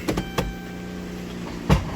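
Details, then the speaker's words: 2019 Dodge Grand Caravan, 109,000 miles, sat several months, dealer claimed transmission needed: idling on the brake, a few sharp clunks then a heavy knock and scraping when shifted into gear; cause was a broken CV axle cage. "you hear that noise put is on the brake one big key thing though you put it in part you hear that noise that scraping noise"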